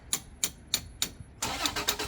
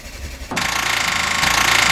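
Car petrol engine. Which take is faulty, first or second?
second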